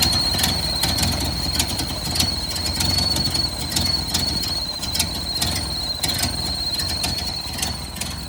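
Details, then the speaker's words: 1929 Ford Model A engine running with a steady high whistle from a leaking carburetor gasket drawing in air, a vacuum leak. "That whistling sound is the carburetor gasket leaking. So, it's taking in air as well."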